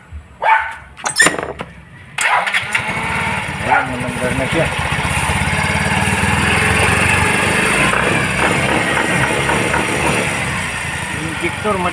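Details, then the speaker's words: Yamaha Mio i 125 scooter that would not start despite compression, spark and a new battery, after the fuel injector was replaced: it catches after a few cranks and settles into a steady, even idle with no misses, fixed. "so pinalitan namin ng bago bagong injector Yun lang pala ang naging problema"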